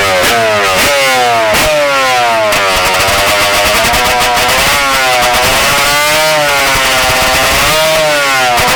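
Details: Two-stroke Banshee, already warm, carburetors on the P7 needle and not adjusted since October: snappy blips but goes thin and flat around quarter throttle, showing the carburetors are running lean.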